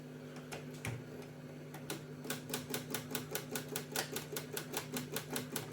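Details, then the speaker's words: Cassette deck tested with a spare tape after light cleaning: sharp regular clicks about 2.5 per second in a quiet room, tape never plays and stop doesn't work; repeated clicking, mechanism not engaging. "Ні, не працює. Воно, чуєте, клацає і навіть стоп не працює."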